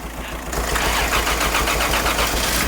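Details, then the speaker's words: 1989 Toyota Supra Turbo, stock barn find that hadn't been starting, double-jumped from another car's battery: after a half second the engine catches and settles into a quick, even pulsing run; a clean start. "there we go start it right up oh that's crazy you gotta leave it plugged in for longer I guess"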